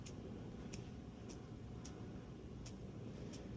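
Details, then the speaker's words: Old steering column bearing from a 1995–1997 airbag Toyota Land Cruiser 80 series tilt column, rocked by hand: six sharp metallic clicks from a lot of play; linked to steering column chirp/squeal; new OEM bearings have no play. "So, that bearing is making kind of a ton of noise."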